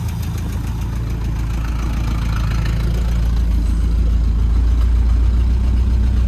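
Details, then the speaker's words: 1971 International 1210 pickup sat 30 years, started with fresh fuel and no coolant: rough low idle with a steady clacking knock about three per second; engine sounds really weird, cause unclear, so it was shut off. "no gauges no transmission the engine sounds really weird but i'm gonna i'm gonna shut it off"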